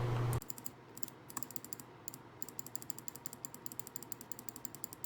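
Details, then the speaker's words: Glorious Model O gaming mouse: rapid spam clicking about eight a second drops out in short gaps as the left click button jams under fast clicking. "Another thing is it's really hard to spam click with this mouse, because whenever I do it I feel like my left click button gets jammed, and it's really weird."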